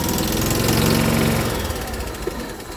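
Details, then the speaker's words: Small engine restarted cold, cold-blooded; lumpy uneven single-cylinder chug that settles and fades. Rough running when cold. "this thing's definitely cold-blooded same with the ford it's next"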